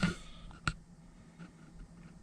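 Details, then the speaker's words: Ford Territory after ABS pump replacement, starting the car to check the fix; a few sharp, isolated clicks about every three-quarters of a second with ignition on, source unidentified. "And the clicking noise again."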